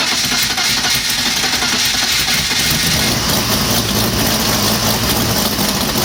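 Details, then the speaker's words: Rotary-valve BMW engine on its first start after a new timing chain; the old chain had stretched until valve timing was 20-25 crank degrees off across the valves, and the new timing is not yet checked. It catches partway through and settles into a busy, raspy idle with a lot of top-end clatter. "Let's fire it up and find out. Haven't even checked to see if we actually got the valve timing correct, so this is the first start."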